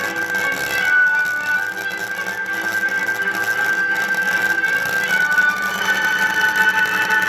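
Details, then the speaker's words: Pioneer KEX-23 car stereo speakers, stored many years in a box, on the bench: music thin and tinny with no bass and rough scratchy edge; cone suspension disintegrated, before fitting new suspension rings. "well you can hear how bad and scratchy the sound is currently coming from the speakers so the plan is to make a new suspension ring to support the speaker cones"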